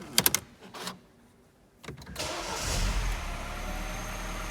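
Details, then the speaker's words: Mini One after cam chain replacement, first start after reassembly: a few clicks, brief crank, catches cleanly and settles into an even idle without rattle; healthy. "that sounds pretty good to me"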